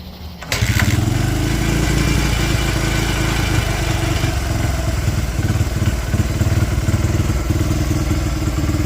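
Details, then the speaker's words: 2005 Honda CRF80F dirt bike, stale fuel, old spark plug, kickstarted cold: chugs unevenly, beat wavering and stumbling at idle; runs rough when cold, cause unconfirmed. "It is still cold. does not run the greatest, [Music] but she does run"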